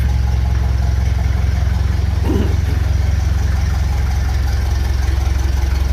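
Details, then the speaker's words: 1956 Lucas D3A4 distributor fitted to the engine, brief test run with no coolant and radiator off: engine comes to life and runs even and steady, a regular low beat of about three pulses a second with no misses; sounds healthy. "That's what I like. Stick a bit of metal onto an engine, make a few tweaks, and it comes to life."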